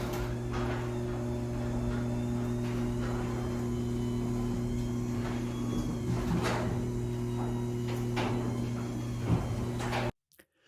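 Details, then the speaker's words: Garage door after converting to a belt-drive opener but before other quieting steps: steady low motor hum as door opens, with intermittent creaks and groans from the door itself. "As you can see, that was quite a bit of improvement and it's already sounding much better, but you can definitely hear creaking and groaning in the door."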